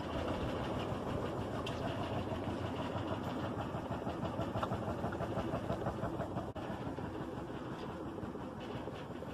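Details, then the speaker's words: Top-load washer running with a heavy, uneven rumble and rapid thumping as the tub bounces, mostly back right, caused by worn suspension rods, one in each corner. "And the problem with these is why it's shaking is because of these four suspension rods here, one in each corner."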